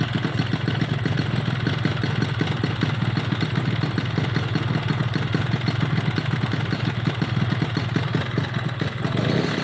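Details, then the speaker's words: RX two-stroke motorcycle lacking power: idles with rough rattling clatter over a heavy low drone; poor compression and heavy reed membranes noted, piston slap from off-centre bore and cracked piston. "Oke, dari suara mesinnya teman-teman bisa dengar, dan ini motor tenaganya kurang maksimal."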